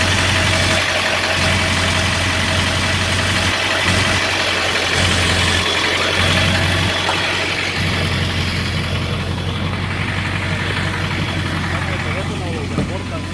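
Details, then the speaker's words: 2001 Ford F-250 7.3 diesel at idle, recorded with the phone against the transmission: a heavy, steady drone with an even throb. The vibration was misdiagnosed as a misfire; the mechanic suspects an unbalanced flywheel or torque converter, both previously replaced. "It's kind of vibrating a little bit. It's not as bad as it is over here on the transmission side."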